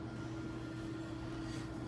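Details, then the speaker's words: Dialysis machine draining the remaining bag, steady low even hum with no ticking yet; ticking starts when the bag is empty and the machine must then be stopped. Normal draining. "and now the rest of the sack's gonna drain. You'll hear it start ticking when it's empty, and then you'll have to stop it."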